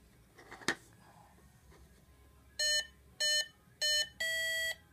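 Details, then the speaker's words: New HobbyKing 70A ESC powered up on a brushless motor: three short rising beeps then one longer tone in a quiet room; normal ESC arming beeps. "so basically when I plug this in or when I get this attached here you'll hear some beeps from the motor and then we should be up and running with um with this"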